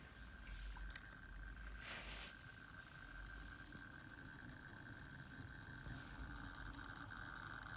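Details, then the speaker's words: Dell Inspiron 9300 laptop from 2005, running XP after a reinstall: a faint, steady high whine under quiet room noise as the drive spins smoothly and quietly, which is normal. "hear that hard drive spinning it is quite quiet though for a hard-driving I'm quite happy with that"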